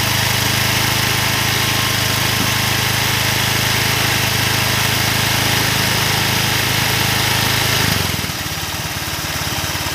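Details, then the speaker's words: Old Honda Vario 125 scooter, after a full rebuild and with boiling radiator coolant, idling before a valve clearance reset: light fast ticking over the exhaust note, then the note drops away; valve train tick, rocker/tappet suspected worn. "Kalian saja saya coba untuk setel ulang klepnya karena tadi kan berisik, meskipun sebenarnya ini templarnya sudah agak oblak ya, mudah-mudahan bisa sedikit lebih halus."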